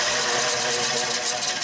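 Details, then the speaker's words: Bandsaw after the fix, with the guide bearing loosened, pushed back slightly and retightened: an even high hiss of the running blade with only a faint scratch left, less scratchiness than before. "Nope, not quite as much."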